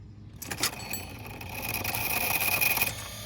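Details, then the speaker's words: DIY kayak electric motor, battery powered, running with the drive chain believed removed to judge motor noise; clean, steady high-pitched whine that builds, holds and winds down with no grinding or rattle; motor runs quietly and normally. "And that's what the sound will be. That's how quiet it will be."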